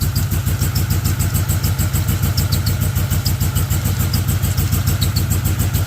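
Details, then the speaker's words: 1970 Z28 Camaro with a built LS2, LS3 heads and T56, during an Edelbrock E-Force supercharger test fit: everything unplugged, belt-driven, MAP sensor rigged and codes cleared. It starts and idles lumpy with a pulsing beat and uneven firing in limp mode. "Start. Clearly in limp mode, but it is idling. It is idling."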